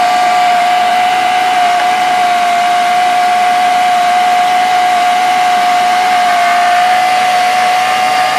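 Steady hissing rasp with a constant mid-pitched tone that holds even throughout; a grinding noise from the engine, cause not evident.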